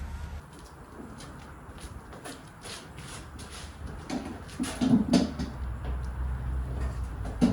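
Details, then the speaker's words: Car rolled out of gear in garage, days after first track day; low groaning creaks from rear wheel, owner suspected hub or birdcage bearing; actually loose rear wheel nuts letting the wheel shift. "so just had another really close listen pretty sure it's coming from inside the wheel somewhere um yeah so Hub bird cage something in there"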